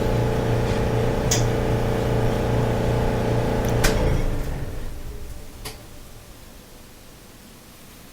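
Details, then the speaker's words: Electrolux dryer running: a deep steady rumble under the running hum that fades as the drum coasts down and stops when the drum stops; lint and debris collected in the blower wheel. "if you still hear the rumbling noise then it's the blower wheel but when this tumbler stops the noise stops"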